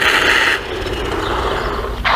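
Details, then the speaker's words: XLF X04a 1/10 brushless RC truck, about a minute into the run: rough grinding rasp over motor whine with slipping scrapes; pot-metal gears have sheared teeth and are slipping. "When I'm a minute into the run, I hear it grinding. Look at that. The gears are stripping out. It's going, but that pot metal in there, it's slipping because it's sheared some teeth off, and it's slipping."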